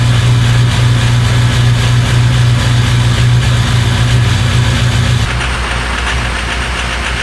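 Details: Diesel just after cold start: loud heavy clatter at nearly four beats a second, rough and uneven, "two hammers and a dryer"; owner suspects it may need glow plugs.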